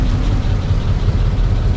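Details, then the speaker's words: 1937 Ford panel truck flathead V8 just started: deep, even, low rumble with no knocks or misses; steady smooth idle, a little smoky and thought to run slightly rich. "She's a little smoky. I think this thing runs a little rich, actually. Sounds good though. It turns nicely. Very nicely."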